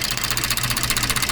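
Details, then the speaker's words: 2014 Ford F-150 3.5 EcoBoost idling with a strong misfire in cylinder 6: uneven, lumpy beat; its replaced coil's connector sat nearly a finger's width out, not seated properly. "Pero si se fijan en el conector, a diferencia de este se fijen la distancia que está entre entre esta parte y luego este tiene casi un dedo de espacio en medio que quiere decir que no no está metiéndose bien, o sea, que quiere decir que lo pusieron, pero no lo conectaron bien."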